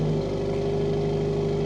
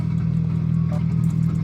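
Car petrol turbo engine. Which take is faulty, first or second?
second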